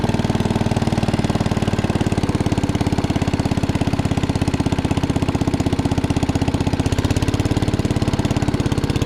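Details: 1961 International Cub Cadet Original tractor, 7 hp Kohler single-cylinder, driven after new tubes were fitted: steady, even thump at constant speed with no misses or knocks; runs smoothly.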